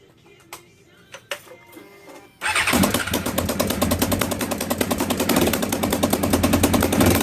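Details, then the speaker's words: Motorcycle started with fairings off after losing power on the freeway: sharp rapid ticking and puffing about three per second with the firing; exhaust leak at header-side exhaust port gaskets. "And there you go. That's what an exhaust leak sounds like from the header side."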